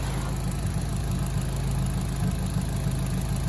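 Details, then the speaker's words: Mitsubishi Colt CZT Ralliart turbo petrol at steady, even low idle with a smooth purr, no knocks or rattles, with a custom Dynodaze manifold fitted; engine running healthy. "Oh, she's purring, so let's see what Jason's done."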